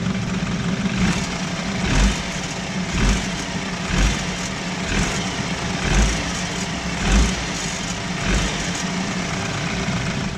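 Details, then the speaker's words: 2012 BMW 528i F10 turbo engine idling and revved: light metallic rattling bursts about once a second, loose turbo wastegate that doesn't close fully, causing underboost codes and reduced performance; fix is tightening the wastegate. "there's a little rattling noise once you rev it up I'm gonna rig it up right now so you could hear the actual rattle noise"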